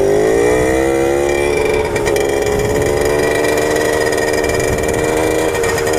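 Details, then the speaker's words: 1997 Suzuki JR50 50cc two-stroke kids' dirt bike after restoration and hidden gear mod, riding: buzzy revs climb, then waver and stutter near the top instead of pulling cleanly; breaks up at high rpm. "like at the top ends you know here in a second like it's still increasing rpm increasing increasing still increasing rpm and then sometimes it keeps building and sometimes it's there because that it breaks up"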